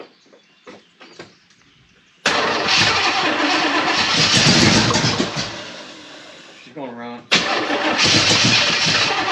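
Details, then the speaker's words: Chevrolet El Camino first start attempt with a sticking choke: it cranks, fires and catches into a loud, rough-edged run, dips briefly, then picks back up; the engine sounds healthy. "motor sounds like it's good it sounds like it's healthy sounds really really good"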